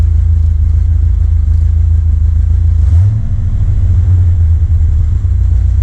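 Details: 1979 Corvette L82 carbureted V8 after the choke opened, hood down, tach reading wrong. Low idle that keeps stumbling and dipping unevenly; rough, hunting idle. Smoke test ruled out a vacuum leak; cause unconfirmed.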